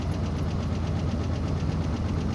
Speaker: That tap. Obviously the lifters are cold, they're getting stuck. That's causing that tap. It only happens when it's cold, and right now it's about 0 out, so of course it's going to be more pronounced.